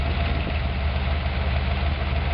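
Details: Ford 302 V8 wagon with carburetor and larger secondary jets, right after valve adjustment (loosened until clacking, tightened until quiet plus a quarter turn): steady even idle, smooth low burble, no lifter clack or ticking; valve lash set correctly.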